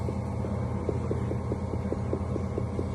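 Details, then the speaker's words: Car engine running with light quick tapping about five times a second from a loose, flopping hose at the filler neck; fixed by adding foam padding and tightening the clamp. "а вот что стучит у нас на этих слушайте болтается как это шланг Да горловина слушайте"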